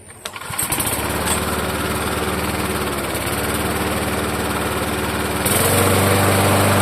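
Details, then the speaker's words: Vintage Toro mower after the loose blade bolt on the crankshaft was tightened: starts quickly and settles into a smooth, even drone with no knock or clatter, throttle picking up cleanly; the knock was the loose blade. ">> No more knocking. No more knocking, guys. So, that's all that it was."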